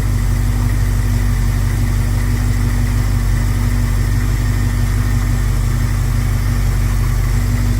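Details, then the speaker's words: 1971 Plymouth Scamp engine after vacuum leaks were found and plugged, timing unchanged. Deep, smooth, steady idle with no hunting, stumbles, misses or ticks. Normal idle. "it's running very smooth um it was uh a couple of vacuum leaks I found get those plugged up"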